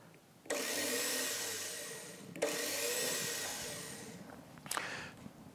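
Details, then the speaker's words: Motorcycle starter removed and bench-tested on a battery, wired directly to the motor windings: two short high-pitched whirring bursts spin up quickly and run evenly, so the starter motor turns freely and works. "Now if we want to test just the starter motor, go ahead and attach this to the wire that's going directly to the motor windings. Now when we pass it through you're just going to hear the motor turn."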